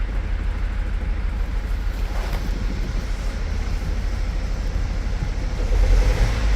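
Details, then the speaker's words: Mercedes Sprinter diesel during injector replacement and coding work, after a plug was cleaned and refitted; low idle with an uneven stumbling beat as a cylinder keeps dropping out, rough but not horrendous, definitely missing, cause unknown. "rough [Music] it's not horrendous let's see about better [Music] it's definitely missing definitely missing"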